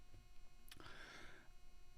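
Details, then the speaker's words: Recording on low-cost audio gear, unprocessed: a low steady hum and buzz under a quiet room with one click; microphone picking up electrical interference from the nearby monitor. "i hate that buzz that was at the start of the video i really hate that buzz kind of you know makes me twitch a little bit i hate audio interference"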